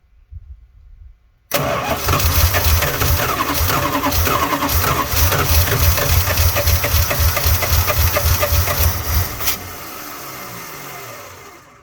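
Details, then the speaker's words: 1986 Dodge Ramcharger just after cleaned carburetor install, gas poured in carb and tank: steady starter churn with a few weak catches, then fades out; fuel starvation, fuel not yet pumped from tank to carburetor. "Alrighty. Not too bad. Sounds like it might need a little more gas in the carburetor."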